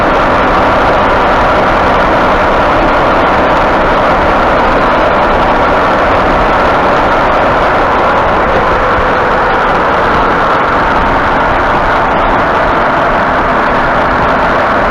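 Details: 2018 Ford F-150, about 67,000 miles, noise started two weeks ago: steady rough humming with a grinding edge from the front end while cruising and turning the wheel slightly left or right, front end feels like it hangs up; cause suspected, not confirmed.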